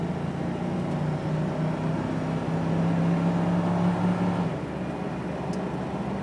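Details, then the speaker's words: 1999 Ford Crown Victoria cruising on the freeway above about 40 mph, window up: steady low drone around 150-200 Hz, louder when letting off the gas, gone below about 40 mph, no vibrations; speed-related drivetrain hum, cause unknown. "Hear that hum? Hear it. As I let off the gas, it gets a little louder. It's not doing it as bad as it normally does."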